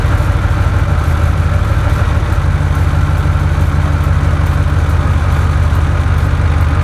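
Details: 2005 Ford F-150 after replacing two ignition coils to cure a misfire: deep, steady V8 idle with an even beat, noticeably smoother; normal idle.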